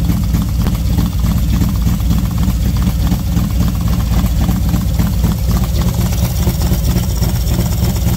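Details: V-twin motorcycle with SS540 cam and valve springs, idling about 10 minutes warming up at 40°F outside: even loping idle, steady low beat with intake hiss, no ticking; normal idle.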